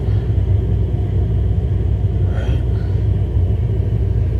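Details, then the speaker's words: Hartke HD150 bass amp with nothing playing, volume and EQ down: constant deep furnace-like rumble, steady and unchanging; amp produces heavy noise at idle, louder with EQ raised. "here's the heart key hd150 do you hear something sounds like a furnace inside the amp can you believe that"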